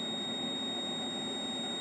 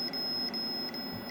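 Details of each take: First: Logic probe on the faulty Moon Patrol arcade CPU board, pin 8 of the LS30 chip at 4E: steady, unbroken high tone with no pulsing; the line is held low and not toggling. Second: Logic probe on a known-good Moon Patrol arcade CPU board during bus-test looping, checking the data buffer enable line: steady high tone with quick regular breaks, the tone of a toggling signal.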